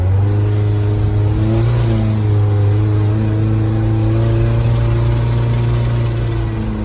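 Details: 2010 Nissan Versa at 114,000 km under hard acceleration: flat, strained drone with sputtering and chugging, mistaken for transmission slipping, an intake leak or the fuel pump. Tailpipe flow was very low and the exhaust very hot. Cause was clogged catalytic converters.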